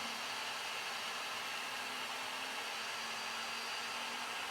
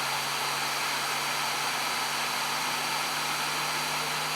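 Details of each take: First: New Flashforge Adventurer 5M 3D printer during its vibration calibration, moving back and forth and accelerating: a steady mid-pitched buzz over fan hiss. This is the normal calibration sweep. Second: New Flashforge Adventurer 5M 3D printer during its post-leveling vibration calibration, shaking rapidly side to side with a hand resting on it: a steady, even buzz with a low tone, like an out-of-balance fan. The cause is unconfirmed.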